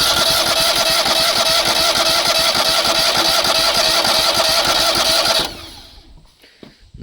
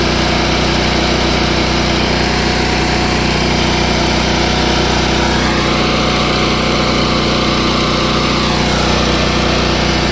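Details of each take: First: Engine on a crane trailer parked many years, new fuel filter with the tank bypassed into a jug: starter churns steadily for five seconds without a catch; no fuel reaching the carburetor, later found to be a clogged carburetor fuel bowl. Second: Small gasoline engine on a crane parked for many years, choke in use. Runs steady and even at a fast idle for about ten seconds, then dies away. Normal running.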